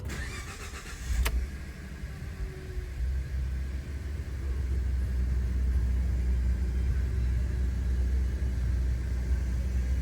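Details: 2014 Ford F-150 EcoBoost race truck at about 85k miles, first start after a spark plug change. It cranks briefly, catches cleanly and settles into a smooth, even idle with no misses or knocks; normal start and idle.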